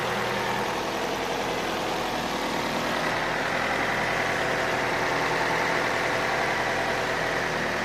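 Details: Opel Astra H at steady idle with a light, regular tapping about three to four times a second at the rear of the engine, near the ECU. Not the gears and no error codes; the source is unclear.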